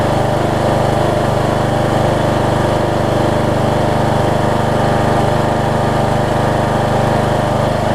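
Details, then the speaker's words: Troy-Bilt Bronco rider swapped from 20 hp Kohler Courage to 17.5 hp Briggs with new carburetor and retrofitted older Troy-Bilt muffler: steady, even single-cylinder run at constant speed, smooth low drone, no rattles or misses; healthy, seemingly quieter exhaust. "that's quieter than the other one I think"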